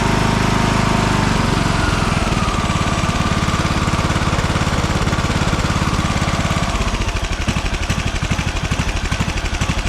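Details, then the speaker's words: 2009 Craftsman YTS 3000 riding mower, 21hp Briggs & Stratton single-cylinder: after water was found in the fuel and the carb cleaned again, a rough, uneven, stumbling idle that dips as revs drop, though it runs better at full throttle; new rings ordered. "So, Heat. doesn't idle perfectly, but I cleaned the carb again and uh starting to run a lot better at full throttle."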